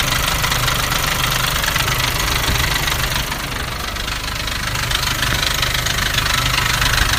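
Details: Nissan Navara D40 2.5 dCi diesel at idle: loud idle with a rapid, uneven rattling chatter over the combustion beat, mistakable for a dual-mass flywheel rattle; actually a cracked intake manifold.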